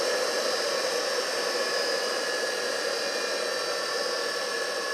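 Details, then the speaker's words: 2 HP high-voltage single-phase capacitor-start motor after switch-off: an even whirring hum with a faint steady whine as it runs down; normal motor coast-down. "não desligou. Está perto de desligar. Olha lá. Esse barulhinho desligou."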